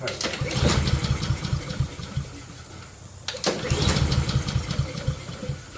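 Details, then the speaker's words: Honda self-propelled mower, fresh gasoline just added, fuel turned on: two pulls, a couple seconds of uneven chuffing that never catches. Cranks but won't start; owner expects carburetor work, cause not confirmed. "Yep. Should have figured I have to do the dang carburetor."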